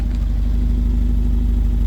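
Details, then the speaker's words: Austin Allegro at tick-over after ignition timing advanced slightly: deep, even exhaust burble with no hunting, misses or chugging; healthy idle, mixture not yet adjusted. "So, I'm happy now that that's advanced a little bit. I didn't, like I said, I didn't want to go too much, but that sounds really nice. Nice and even. No hunting going on. No chugging."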